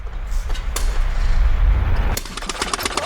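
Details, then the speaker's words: Early-1900s single-cylinder drag saw engine started on starting fluid after spark and compression confirmed: ragged, uneven low thumping, firing irregularly but lighting and running; carburetor needs work. "This thing lit, it runs, it will run impeccably. The carburetor, it needs a little bit of love."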